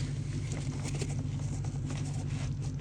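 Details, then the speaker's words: 2008 Ford F350 6.4 Powerstroke 6-speed manual: the starter just groans in a steady low drone with no cranking rhythm. The engine sounds locked up and won't turn; they suspect it is frozen. "locked up is it sounds like it doesn't that does sound locked up"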